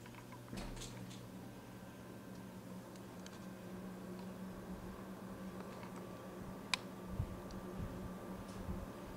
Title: Fujitsu ASYA-12LGC making strange noise